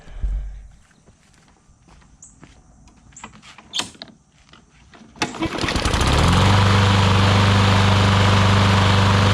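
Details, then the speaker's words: Newer Briggs & Stratton push mower that had water inside, after carb clean, air filter, blade and oil change: a few pulls, then catches and settles into a steady, even drone with no misses; normal running. "actually runs incredibly well. So awesome, got that fixed, and we'll get that one put up,"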